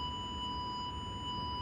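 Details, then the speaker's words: Nokta Makro Legend metal detector in a gold nugget setting: continuous clean high threshold tone over faint hiss, set high (adjustable up to 30, suggested 15), which helps on small and deep gold targets. "Bunyi ni sangat membantu. Kalau tuan-tuan main benda emas, benda yang halus memang sangat membantu."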